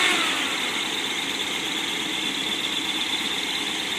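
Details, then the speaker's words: 1955 Ford Thunderbird Y-block V8 on test stand with muffler, not quite warmed, idle heading toward 750 rpm: smooth, even idle under a loud steady rush from the electric pusher fan, nothing knocking or ticking. "rev it up a little bit run more notice how quiet it is with the muffler"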